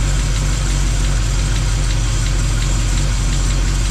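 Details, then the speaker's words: Old truck V8 with mild RV cam, under 5,000 miles on the engine, lost compression on one cylinder: deep idle with faint even tap about twice a second from one side's top end; owner suspects a lifter. "I mean that's a lifter I believe but why could be just a clap lifter"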